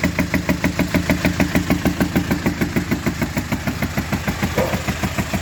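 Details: Hyundai HR 16-valve diesel, 2014/2016, with broken rocker arms and tappets: loud sharp very regular knocking about 200 per minute over idle, occasional pops; broken rocker arm knock.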